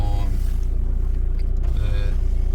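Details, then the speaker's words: Audi A6 C6 TDI diesel, now running after a crank-no-start problem, heard in the background while being scanned: a steady low diesel idle with an even beat and no knocks or misses, a normal idle. "you can probably A4 A6 you can probably hear it's running um you can probably hear it running in the background"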